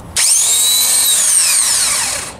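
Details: Chevrolet Blazer starter motor, mounted under the manifold: high drill-like whine spinning up and fading with no cranking beat, engine won't start; starter spinning freely due to stripped reduction gears.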